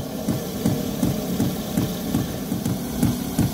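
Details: Iveco Daily camper diesel heater showing error code 10: steady fuel-pump ticking, nearly three per second, over a low fan hum with no burner roar building. The heater is trying but failing to ignite.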